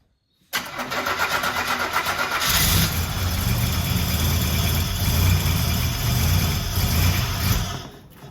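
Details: Buick Grand National with rebuilt 140 block and fresh cam, first start after nearly a year: brief crank, catches straight away, settles into a steady even idle with no knocks or ticks; cooling system not yet fitted, so only a short run.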